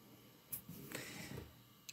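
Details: Desktop PC that stopped booting after a power outage, even after a new GPU and power supply were fitted; owner believes it needs a new motherboard: turns on with a few faint dry clicks about a second apart, no beep or fan rush; clicking, no boot.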